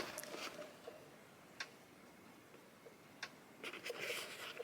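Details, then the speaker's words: Cyclops DC 5 joule solar-powered fence charger feeding electric goat netting, voltage above 10,000: faint sharp clicks about every second and a half in quiet surroundings; charger pulsing normally. "so in there folks there's my charger i don't know if you guys can hear it clicking"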